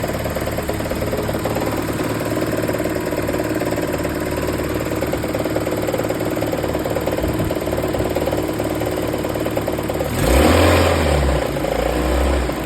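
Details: 1993 Toyota 22RE engine: steady idle carrying light, fairly regular knock near four per second, then a brief rev; possible rod knock suspected, unconfirmed.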